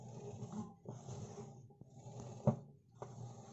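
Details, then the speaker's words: Washing machine during spin, drum rumbles in slow swells with sharp knocks, silent otherwise; foreign object, a coin, trapped under the drum. "но когда вот она начинает на отжиме работают что-то там я мешает слышно"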